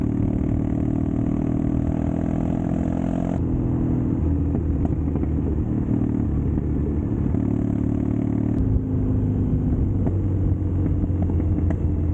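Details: Custom Triumph Bonneville T100 on Down & Out drag pipe exhaust, before SOI/O2 sensor work, air baffle removal and ECU tune: loud lumpy twin idle with blips, uneven crackle and pops through open pipes; exhaust popping and backfire.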